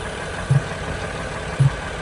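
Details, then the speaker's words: 2007 Ford Freestar 4.2L after transmission rebuild, idling; gurgling, knocking, two dull low pops in the air box persist with everything disconnected; owner suspects the idle air control valve. "still look Popp s in the air box disconnected everything that's going to try with the idle a control valve"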